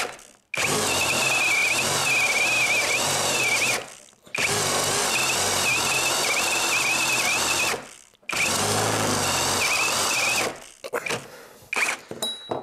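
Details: Litheli U20 cordless drill boring oak with a sharp 68 mm Forstner bit, no kickback control: high motor whir bogs, then abruptly stops three times in twelve seconds; overload cut-out under heavy load.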